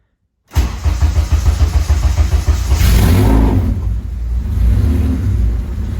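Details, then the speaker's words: K-swapped Honda Civic race car first start after two years and rewiring: fires instantly, one blip, then strong steady idle with no misfire or knock, 90 PSI oil pressure, though leaking fuel. Healthy first start. "It's running, dude. It's running. It's running. It's alive. It's alive. And it's making 90 PSI oil pressure."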